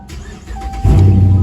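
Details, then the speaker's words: Dodge Mopar (Charger/Challenger/300C type) started with the key after the hidden kill switch is flipped off then back on: a short crank catches in under a second into a strong steady low rumble over music, a normal start, just like factory. "Oh yeah. Just like factory, baby."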